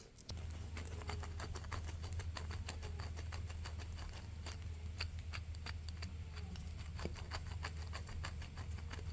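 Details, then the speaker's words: Mercedes-Benz W212 E250 CGI wagon, M271 evo 1.8 turbo, 12 years old: AC compressor pulley removed from car and spun by hand gives dry, irregular gritty ticking and rasp; worn pulley bearing causing a whine, fixed by replacing the pulley. "All right, now that it's off the car, you can really hear it. I'll try and take a video for you. Yeah, it's really gritty in there."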